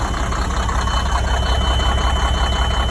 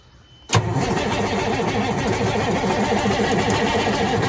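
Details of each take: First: Sterling semi truck with Cummins diesel, sitting eight years, starting after a loose inline fuse and a cable end were fixed; deep even idle about 160 knocks a minute, no misses or surging, normal healthy idle. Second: Sterling semi truck with Cummins engine, sitting 8 years, ECU powered: starter cranks evenly about twelve seconds, no firing, no smoke; power wiring suspected, later fired when in-cab starter button pressed while cranking. Cranks but no start.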